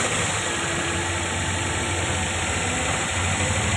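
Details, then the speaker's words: Toyota Corolla after timing chain replacement, engine warmed up for half an hour: steady even idle with smooth hum and no chain slap or rattle; timing chain noise gone, normal idle. "जी हान दोस्तों अभी गाड़ी को start किए हुए आधा घंटा हो चुका है तो आप देख सकते हैं की इसमें बिल्कुल भी कोई किसी किस्म की साउंड जो है वो नहीं ए रही"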